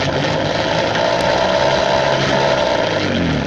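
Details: Peugeot pedal moped, laid up since 1997, on old fuel with a split fuel line found: raspy two-stroke buzz catches a few seconds, wavers unevenly, then sags away; fires but won't keep running, cause unconfirmed.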